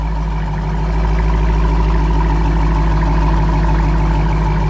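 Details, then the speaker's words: Dodge Challenger R/T Hemi V8 with an X-pipe and the active exhaust valves deleted so they stay open: deep, steady, loud idle rumble at startup with no drone or miss and no check engine light; running fine. "this is beautiful you're gonna hear that every time you turn on your car no matter if it's hot or cold with that active exhaust gun you're gonna hear this every time"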